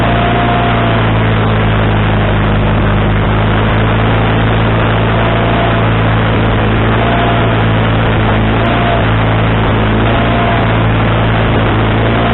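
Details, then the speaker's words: Wood-Mizer LT40HD sawmill engine with a new carburetor, after the linkage was moved from the wrong hole: low idle that rises and falls every second or two. The idle is now adjustable, but surging at idle remains; the cause is not yet confirmed. "okay it looks like looks kind of like it was human error on my part I I think I had the linkage in the wrong hole and I changed that and now I can turn the idle down I can adjust the idle and now all I have to do is try to correct the surgeon"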